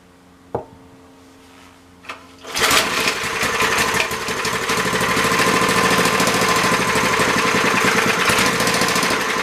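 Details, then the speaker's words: MTD edger, 3 horsepower Briggs and Stratton, not starting: a couple of weak pulls, then catches and runs fast, busy, slightly uneven on half throttle with choke; runs only with choke, cause unconfirmed. "i think there is probably enough to always run if it is going to a half throttle choke let's give it some help"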